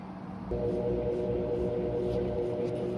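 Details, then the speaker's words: Crosley (GE-like) washer after control board, motor pulley and belt replacement, tested on drain and spin: motor kicks in after half a second and settles into a steady, even hum, no knocking or grinding; running normally. "But um let's plug it up. Just put it on drain and spin first and just see what it do."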